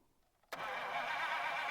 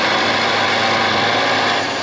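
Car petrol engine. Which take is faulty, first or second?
first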